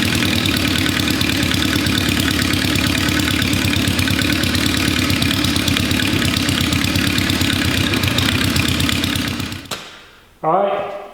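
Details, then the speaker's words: Four-cylinder kick-start motorcycle engine, now starting easily: quick, even exhaust pulses at steady idle, about four a second, no misses or knocks, then shuts off; running on all four cylinders, sounds good, carbs not yet fully right. "sorry it's running on all four cylinders as well which is a bonus so that's good the engine actually sounds pretty good"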